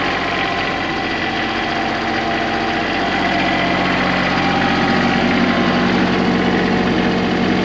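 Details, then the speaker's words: Small Kubota tractor diesel just started: even, steady clatter at constant idle with no stumbles or odd knocks; healthy idle. "Click, contact. Just can't beat these little Kubota tractors."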